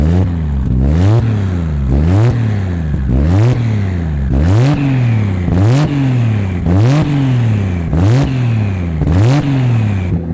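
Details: Supra, first start after three years of building: throttle blipped about once a second, revs rising and falling cleanly with no stumble. There is a minor exhaust leak at the mid-pipe-to-catback joint because the V-band clamp is too big. Running is healthy.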